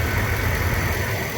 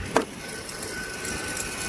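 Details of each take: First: 2009 Mercedes-Benz W221 S550 4Matic after replacing the squeaking, chirping upper idler pulley: steady even low idle with no squeak or chirp from the belt side, running smoothly, normal idle. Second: 2009 Mercedes W221 S550 4Matic idling: faint thin squeak and occasional chirps over a muffled engine, from the noisy upper idler pulley that was then replaced.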